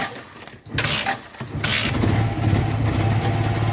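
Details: Yamaha FZ16/FZ 150 motorcycle, hard to start in the morning, especially when cold: starter cranks in short bursts before the engine catches and settles into an uneven, lumpy idle; reluctant cold start.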